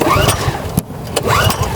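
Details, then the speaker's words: Kraft&Dele KD681 3000W inverter petrol generator, first cold start: repeated recoil pulls rasp and whirr but it never fires. The choke was accidentally left open, because this model's choke closes to the right rather than the left. "і виходить що я відкрив заслонку і намагався на відкриті заслонці на холодному двигуні його запустити і нічого не виходило"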